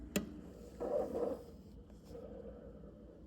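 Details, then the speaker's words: 2014 Toyota Sienna LE (Gen3) upper sliding door roller after sanding its pitted rubberized coating with 120 grit on a drill: light even rolling with no clunking, now runs smooth. "rolls nice and smooth know that none of that clunking that that happened and it smoothed down so I think it'll work"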